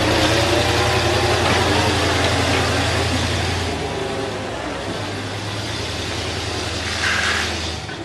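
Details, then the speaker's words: 1946 Chevy 2-ton cab-over with a 235 inline-six and 4-speed, first start in years after a head rebuild that fixed two stuck exhaust valves; steady, even low idle rumble with no misses or ticking. It runs well. "doesn't seem like it though this thing runs like a dream yeah it does"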